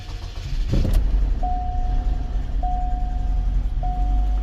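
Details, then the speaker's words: Chevy Cobalt SS after an engine replacement, idling steadily with three dash chimes once the cylinder 3 injector misfire codes were cleared; it runs much better but is low on old fuel, smells rich, and the check engine light is off. "definitely runs a whole lot better it is very low on gas so and the gas is probably old"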